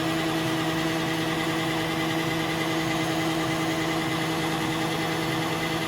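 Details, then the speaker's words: 1987 Kenworth T600 with Caterpillar 3406B diesel, sat over 20 years in a field, fuel gravity-fed for priming: even, steady cranking drone with constant whirring and no catches or clunks; healthy cranking, oil pressure shown. "we're gonna crank it just a little bit see what it does here that's a good sign got a buzzer the crank's good"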